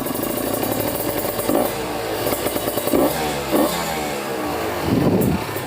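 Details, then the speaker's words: Kawasaki Ninja RR two-stroke with PWK 28 carburetor after pilot jet change, no air filter: crackling idle then throttle blips with sharp revs and soft "mpok mpok" popping from open intake; clean, healthy idle and revving. "ini tanpa filter soalnya temen-temen jadi ada suara apa ya mpok mpok mpok kayak gitu ya"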